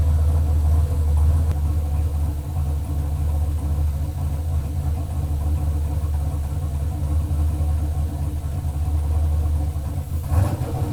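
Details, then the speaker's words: Chevelle LS turbo V8 on Holley Terminator X, first start-up, idling in closed loop pulling 31 of fuel: deep, lumpy, shaky idle, uneven beat about three pulses a second; rough idle, needs further tuning; oil pressure lower than expected. "all right closed loop it's pulling 31 of fuel pretty shaky it needs to be tuned further obviously"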